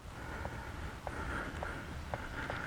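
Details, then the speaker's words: 1988 Ford Thunderbird TurboCoupe 2.3L turbo, jacked up on the A-arm: sharp clicks about two a second as the raised front wheel is rocked, from worn wheel bearing play with little movement; brake wobble and loose steering reported. "hear a click there's not really much in the way of movement but just the click is enough for me to be like yeah why not you know and go ahead and get the wheel off"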